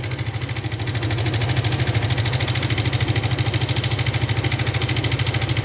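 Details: Suzuki Gixxer 150 idling in neutral: fast, even metallic ticking over a steady idle throughout, a top-end rattle; mechanic suspects valve noise, unconfirmed until disassembly.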